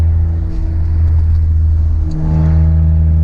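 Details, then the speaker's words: Ford Mustang EcoBoost with turbo kit and catback exhaust, resonator tips removed, heard from the cabin: heavy, steady low drone that swells as revs rise; very loud on the interstate, sounds good only above 3,000–4,000 RPM. "that when I was driving on the interstate, it just sounds terrible. Like, it's not that it's terrible, it's just super loud."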